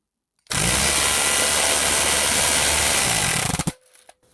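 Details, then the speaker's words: Vintage West German AEG BH25 rotary hammer drill, first run at full speed (not variable speed): harsh, raspy, loud high whine for about three seconds; the gearbox sounds dry and in need of lubrication. "Oh, that thing is loud. So, it's definitely not variable speed. It sounds like it needs some lubrication."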